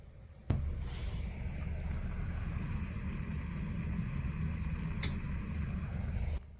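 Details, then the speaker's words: Burst stainless steel threaded T-fitting on the water supply pipe in the 2nd-floor bathroom of a house: steady, unbroken low rush with a faint pressurized hiss. "예 . 저건 진짜 누수 소리 야 . 바로 여기 서 터졌습니다 ."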